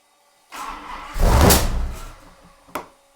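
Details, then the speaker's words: Max Wedge Mopar V8 on a dyno, no load, hard throttle around 2000 rpm after timing set near 40 degrees: cranks, catches with a brief rough surge, then dies with a sharp pop; timing off, suspected distributor turned; spitting fuel. "timing's off can't be man I mean did the distributor turn try it again ready"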